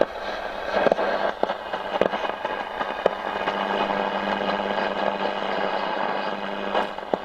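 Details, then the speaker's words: Roberts R200 radio that arrived totally dead, just brought up to 8 V on a bench supply, on medium wave. Sharp irregular pops and crackles over a faint tone flare when the board is tapped; the repairer thinks it's a poorly transistor, possibly the tuning cap. "so don't know if that's transistors or the tuning cap i think that's transistors yeah the um if i tap those [Applause] yeah it's got poorly transistor isn't it"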